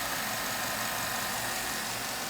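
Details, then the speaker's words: 2007 Avalanche 5.3 L Vortec idling after Marvel Mystery Oil treatment for a collapsed number 7 lifter: quiet, even idle with no top-end tapping, lifter tick gone, 45 psi oil pressure. "this truck is pretty damn quiet I mean it's it's over with I got 45 pounds I'll pressure I'm pretty happy"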